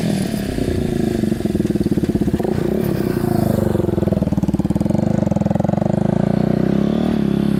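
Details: Yamaha Warrior 350 quad, unknown year, test drive after carburetor cleaning, fresh fuel and servicing: single cylinder pulls cleanly with even firing, no popping or backfiring, revs out fully, hardly smoking; fixed.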